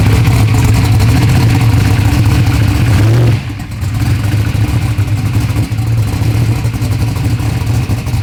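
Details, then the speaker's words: Race car engine running to reach racing temperature before valve adjustment: rough, loud idle with light ticking clatter over low rumble; valve train noise, valves need adjusting. "Going through, it's got some valve train noise. The valves need to be adjusted, so we're not gonna run it long."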